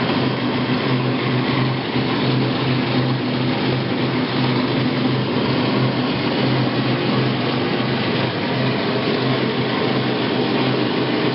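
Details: Admiral washer model AAV7000AWW running: steady loud droning hum with a firm low note, persisting after drive belt replacement; cause unknown.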